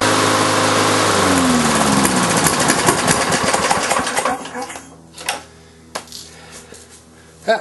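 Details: Briggs & Stratton on a Lawn-Boy mower deck, sat since March, 89 octane with Marvel Mystery Oil in fuel and oil; pops unevenly about four seconds then dies into loose clunks. Rough struggling run; owner suspects carburetor diaphragm.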